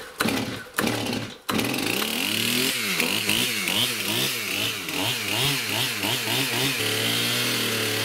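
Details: Stihl MS291 chainsaw, hard starting, bogging and won't idle, fuel checked and properly mixed: it revs, then drops into a ragged, surging idle that hunts and won't settle when throttled down.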